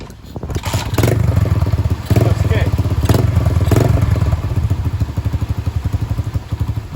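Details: Dirt Master 110cc pit bike, free project bike, fresh fuel, ridden: small single thumps steadily, rising and falling with throttle, firing evenly without missing; runs fine, though it only shifts down, possible gearbox problem.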